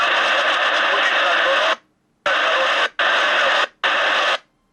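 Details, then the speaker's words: CB radio transceiver received in a parcel with no fault description, tested on bench: clean static bursts with crisp cut-offs, no hum or growl even at near-maximum volume; receiver audio normal, fault possibly in customer's vehicle. "nie słyszę żeby coś burczało ani ani żeby coś się działo dziwnego pomimo że siła głosu prawie jest na maksimum odbiór jest normalny"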